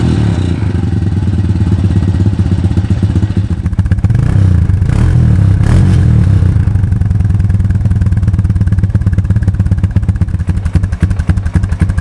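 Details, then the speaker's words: 2002 Honda TRX250EX that sat outside for 10 years, now idling: a light, uneven knock over the low engine note. A stethoscope places it on the clutch side; the owner hopes a clutch adjustment will cure it, but the cause is unconfirmed. "it's running pretty good right now but the engine is making a knocking noise and i was concerned i used a stethoscope and i can tell it's coming from up here which is where the clutch is"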